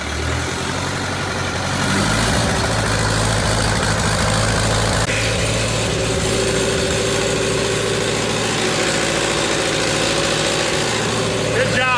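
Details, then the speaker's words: Tractor abandoned three years, after fuel line and pump work, with fuel reaching three of four cylinders; steady diesel idle with an even low beat, no misses or knocks; normal idle, much better than before. "okay turn over it sounds way better yeah"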